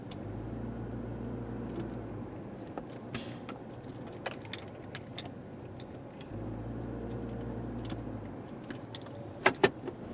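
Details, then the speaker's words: 2003 Chevrolet Trailblazer driven over rough pavement with front sway bar removed to isolate clunk: steady road rumble, light key jingle, no suspension knock; sway bar links/bushings confirmed as the clunk source. "by pulling the sway bar off we went back to the spot where we knew we could duplicate the noise and the noise is gone"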